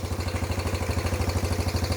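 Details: Fully rebuilt, nearly 40-year-old Yamaha Badger YFM80 single-cylinder ATV just after first start, burning off muffler paint: steady, evenly spaced quick thumps, nothing knocking, valves quieter, a little smoky; normal idle.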